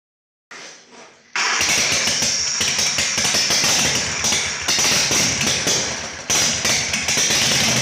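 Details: Harley Shovelhead chopper V-twin after new battery, solenoid rewiring and ground fix, engine hot during carb adjustment; fires after short crank, then loose lumpy beat with uneven surges and dips; owner suspects it needs jetting: rough running.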